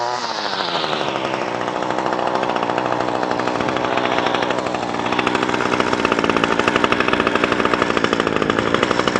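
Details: Echo SRM 225 two-stroke trimmer with cheap aftermarket carburetor, no adjustments: revs climb quickly, then hold a high, even buzz with regular firing and no stumbling; ran as well as the original carburetor.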